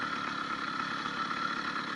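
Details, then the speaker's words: 80cc two-stroke motorized bicycle with an upgraded needle-bearing wrist pin and new piston, accelerating uphill. High, steady buzzing note holding even pitch with no rattles; the owner says it sounds really well. Healthy. "the smaller wrist pin bearing is working better than that large cage and you can hear the motor sounds really really well"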